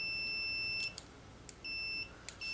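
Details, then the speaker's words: Multimeter set to the continuity (beep) setting: a clear high-pitched tone sounds three times as the leads touch and cuts out cleanly between; the meter confirms continuity almost instantly, faster than the cheaper meter. "there's a little symbol that matches this symbol means it's gotta go beep so let's go to the beep it's doing the deep dude beep beep we gotta go beep"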